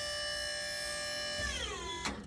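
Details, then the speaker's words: Powered dump trailer electric pump on remote: steady whir winds down then sharp click as pump cuts off at maximum bed height; normal cut-off at full lift. "And I just keep pressing until it reaches its maximum height, and you'll know that when you hear it kind of click off."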